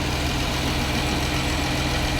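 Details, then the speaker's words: Clean V6 Dodge Challenger at a Copart auction lot, idling, heard under the hood: smooth steady idle with an even note and no knocks, ticks or funny noises; runs good. "not bad not bad it runs good sounds good under the hood no funny noises"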